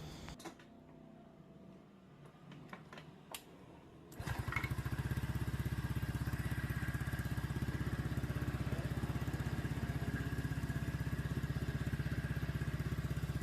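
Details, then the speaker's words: Honda Vario 125/150 / PCX / ADV-type single after engine reassembly, radiator open for coolant circulation check: starts after a few cranks and settles into a quick, even, smooth idle. It sounds loud because of a racing KN exhaust. "nah dan kondisi mesin sekarang udah halus Ya beda dengan yang pertama kali teman-teman"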